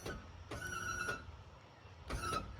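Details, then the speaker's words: 5th-wheel RV hydraulic leveling/slide pump extending landing-gear jacks with coach on jack stands: two half-second bursts of steady motor whine while a slide room probably creeps out under jack pressure; cause still being diagnosed, manifold suspected. "That noise you hear is probably the room on this side going out. It sends the rooms out."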